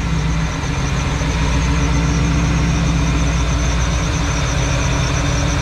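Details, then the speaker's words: Supercharged truck with open intake at idle, before repacking the idler pulley bearing with grease: thin, high squeal riding steadily over the noisy engine. Dry idler pulley bearing squeak, gone after regreasing. "but what we're listening for is that squeaking sound that we heard in the beginning of the video"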